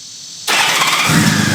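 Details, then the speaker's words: 1997 Honda Valkyrie after sitting 10 years, started with no choke (choke not yet connected): catches almost instantly and settles straight into a smooth, even idle with no long cranking or stumbling; healthy quick start. "That's it. That's also no choke at all. I haven't even hooked back up the choke yet."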